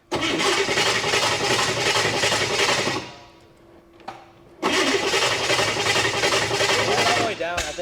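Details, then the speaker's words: The Digger, a street-legal dragster built 50 years ago, first start after revival: engine roars briefly, dies almost to silence, then catches again roughly; crew suspects it flooded – hard start. "think we might have got flooded too much"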